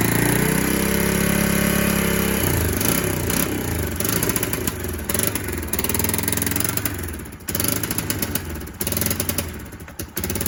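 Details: Kawasaki KLF300 Bayou 4x4 ATV, not started for 2 months: it idles evenly, then off idle on throttle the beat turns ragged and stuttering with rattly popping, a horrendous misfire; the owner suspects the timing.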